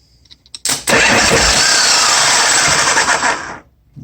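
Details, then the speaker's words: 1986 Harley-Davidson Softail with suspect wiring: a click then a harsh, steady whirring crank for about three seconds with no firing when the starter solenoid is jumped directly; starter engages and solenoid works when jumped. "i know for sure that's not very good but if i do jump it here it is jumping"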